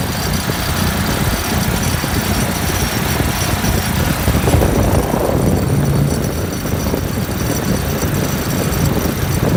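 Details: Refrigeration compressor after a condenser coil leak repair. Head pressure is below 170 psi and the headmaster is suspected of not working. A heavy rough rumble with constant shaking is heard; net oil pressure is only about 20 psi versus the usual 30-40: compressor vibration.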